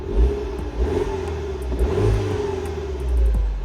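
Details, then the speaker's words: Mini Cooper S after VANOS solenoid replacement, which was done for a lumpy, juddering cold start: the engine starts and revs up and settles cleanly several times with no stumble or clatter; sounds normal, though not yet tested from a cold morning start. "It started. Sounds normal."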